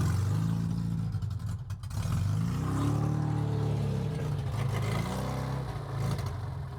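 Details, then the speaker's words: Metro 1275 A+ manual engine newly installed in a classic Mini, first run on open pipes with choke and accelerator not connected; oil pressure comes up instantly. Loud, deep, unsilenced exhaust rises and falls smoothly with revs, no knocks or misses; healthy. "She lives. It's so good. It sounds so good. Sounds so naughty."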